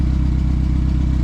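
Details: Turbo PT Cruiser parts car, just after cold start, exhaust manifold missing a nut and leaking: deep steady idle pulse, no knocks or clatter, no smoke; one cylinder has low compression, hard to hear.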